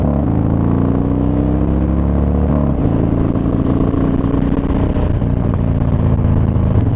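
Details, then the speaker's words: Harley Dyna, rear raised an inch, warmed up after an oil light and top-end noise: deep rumble rising smoothly as the bike pulls, no stumbling, knocking or rattles. Normal acceleration. "But it seems to be performing pretty well. No real issues. I don't see it bogging or anything. I don't hear any weird noises."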